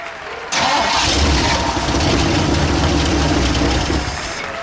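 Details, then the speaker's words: 1960 Ford F100, transplanted 351 Windsor V8, siphon-fed from a gas can, valve cover off, weak battery: engine fires and roars briefly, then sags, trying to idle; idle turned up; fuel pump doubted. "Looks like it's started. Yeah. Trying to idle. I'll turn it up a little."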